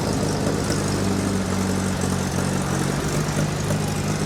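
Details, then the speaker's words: Allis-Chalmers C tractor, first start of the year, cold, parked nose up: loud steady low chug with slightly uneven beat, just caught and running on a little choke. "She's also facing a little nose up. That probably isn't helping. All right, she wants a little choke. That's fine."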